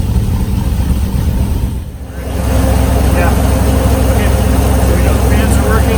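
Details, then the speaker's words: Flyin' Miata ND Miata with GM LS3 V8, first start, fans running: deep, steady V8 rumble holding an even idle with cooling fans whirring; textbook first start, vitals good. "This is pretty much a textbook first start."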